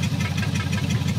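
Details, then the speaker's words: 1954 Meteor Flathead Ford V8, sat 55 years, first runs: low uneven lumpy idle with slight shake and blue smoke; stuck valves left two cylinders near zero compression, now loosening to about 35 psi. "it's still got a little bit of a shake to the motor [Music] but that should get better"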